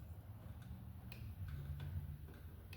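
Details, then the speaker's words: Small power-equipment engine, spark plug removed, ignition key turned off to on: faint sharp clicks over a low hum as the fuel shutoff solenoid plunger now moves, clicking normally where it did not before. "I'm not sure if you can hear that, but I can hear that solenoid clicking. And I can feel it, too. So, the little plunger up in there that's turning the fuel on and off is now moving."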